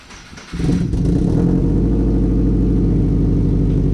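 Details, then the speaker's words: Golden Toaster with new 3-inch mid-pipe and muffler, diff-back joint bolted without a gasket: engine starts and settles into a loud, deep, pulsing idle with a massive exhaust leak escaping at that joint. "You can definitely hear that exhaust leak. There's massive, just leak."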